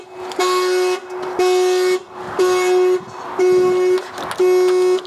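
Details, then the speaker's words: Project car's battery reconnected after being taken home to recharge: horn blasts about half a second once every second as the alarm goes off; immobiliser code still needed. "Well, the horn didn't go last time. I'll see if the key just turns this time."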